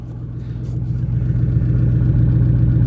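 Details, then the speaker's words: GMC Yukon that sat a year, first start after the fuel pump control module fuse was fixed: a deep, loud, raw unmuffled rumble that swells with revs, because the exhaust was cut off at the catalytic converter. "It It's literally running. Sounds like a hot rod cuz some kid cut the exhaust off it."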